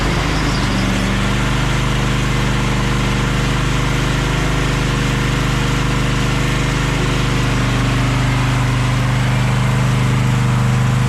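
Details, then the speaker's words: Craftsman push lawn mower after flywheel brake/kill assembly repair, started on choke: steady even drone at constant speed with no misses, surging or knocks; engine running normally. "Can you believe that inch makes such a difference?"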